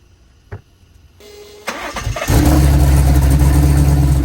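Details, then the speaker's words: Twin-turbo Silverado with L87 Gen 2 10-speed swap, E92A ECU and T87A TCM not communicating: ECU reads first gear so injectors give no fuel on cranking; brief crank, catches only on starter fluid, steady low idle. "That why that's why when I crank it over the injectors don't work. It'll send no fuel because it's seeing first gear and it needs to see park or neutral or else it will not work."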